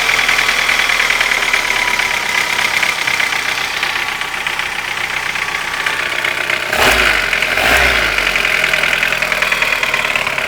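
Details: Light, quick ticking about four per second over a smooth warm idle; began after hydraulic lifters were replaced, no ticking when cold, source not pinned down.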